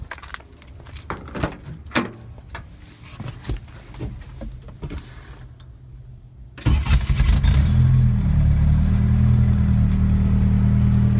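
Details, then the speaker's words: 1986 Toyota 1-ton pickup, 22RE engine, started after sitting a couple of months, warming up: lumpy idle with uneven low pulses like a hit-miss engine, warm-up misfire; idle later drops and stalls, smoother at higher rpm; owner wonders if gas is bad. "I’m in the garage while it warms up and it started running real ROUGH. Sounds like an old hit-miss engine. It never did this before it sat in my driveway"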